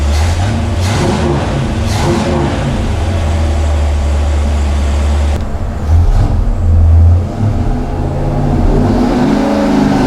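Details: 1970 GTX 440 V8 on the dyno before rebuild, fully warmed, full-throttle pull: deep loud roar climbing toward the end, no knock or rattle; 390.5 hp at 5,000 rpm, peak torque 484.4 at 3,300 rpm; healthy.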